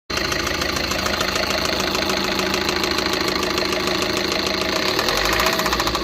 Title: TATA INTRA V30 BS6 KNOCKING SOUND